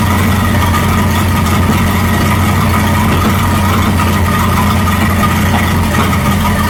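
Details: 1937 Buick Roadmaster with a steady, fast, even drone that never drops to slow idle; an unused starter solenoid holds the throttle open too far regardless of idle screw setting.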